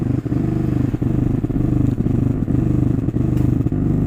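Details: Zebronics home theatre amplifier, after its burnt SMPS power supply was repaired, with all input and jack wiring disconnected: steady low hum pulsing about twice a second; bass hum persists, source not yet found, 5 V USB-board supply being isolated next.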